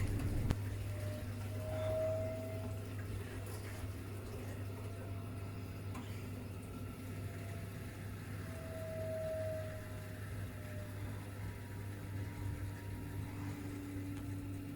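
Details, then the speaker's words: Ideal Logic gas combi boiler running quietly after a proper service: steady low hum and faint water movement, no knocking or kettling; noise fixed. "oh this boiler needs to kill the noise is a proper service running noise free beautiful"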